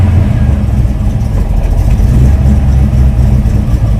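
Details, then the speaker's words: 1966 Ford Mustang V8, rebuilt about 6,000 miles ago, idling on track-day prep with the auto choke engaging: deep, loping, choppy idle from a performance cam, normal character, oil pressure staying high. "you can hear there's a bit of a cam in the engine there but the oil pressure still seems to be staying high"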